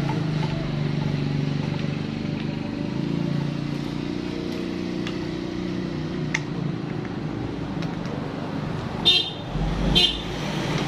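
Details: Yamaha Vixion that died suddenly, after restoring spark without replacing the ECU: starts and settles into a low, even, steady idle rumble with a couple of horn toots; runs smoothly, normal idle.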